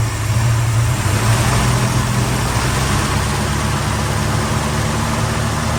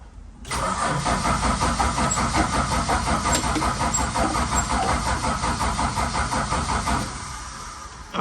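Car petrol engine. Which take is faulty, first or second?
second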